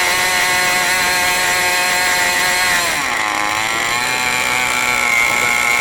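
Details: New OS 40 FSR model engine, second tank of fuel during break-in: a shrill, steady high-revving buzz dips briefly and recovers. The high- and low-speed needle settings still need adjusting to their proper settings.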